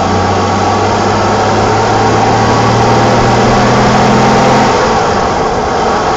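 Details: 1987 BMW E28 520i, M20 2.0-litre inline-six, 129 hp, nearly 400,000 km, running well again, recorded on a phone in various driving conditions; smooth, even drone with steady low hum, no knocks or misses. Normal running.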